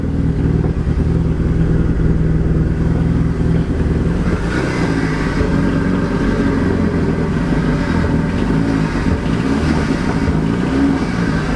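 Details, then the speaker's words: Petrol engine from a Copart car running rough and stumbling as revved, on three cylinders; owner suspects a failed coil pack, with black and blue smoke appearing. "as you can hear she's quite rough so she's running on three cylinders"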